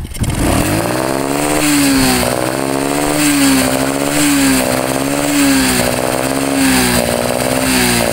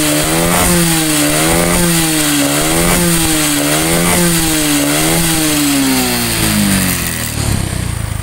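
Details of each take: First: Honda Karisma with carburetor, tested in an open field. At about 3/4 throttle and above, held revs surge and sag every 1.5 seconds, like hitting a limiter: a "ngok" sound resembling a carb fault. It is actually an electrical misfire from a loose charging-circuit fuse. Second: Honda Supra X 125 single-cylinder with carburetor (Karisma unit also mentioned), brought in for an "ngok" snoring noise when throttled, tested in a rice field: clean revs that climb and fall smoothly several times, no bogging or stumble; running healthy.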